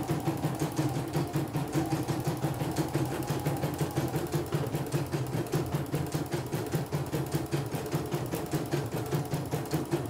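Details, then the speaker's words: CNY E900 embroidery machine after repair of an unresponsive touchscreen and full cleaning, test run: quick, even stitching clatter over steady motor hum, no knocks or slipping; running normally. "Seperti biasa tes ini aja ya, normal, normal."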